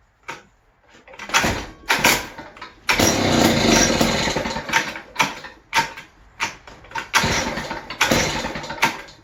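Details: West Bend 580 two-stroke engine, sat unrun for months, after new recoil spring, starter cup and dogs: short revving bursts that fall away and stall; won't idle, owner suspects dirty reed valves.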